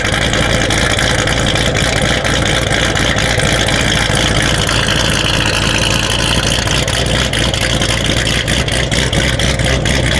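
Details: Built C7 Corvette Z06 V8 with a big aggressive cam and upgraded fuel pumps, at about 70°F, idling after start: loud, deep idle with an uneven, choppy pulse over the exhaust rumble; normal cam lope.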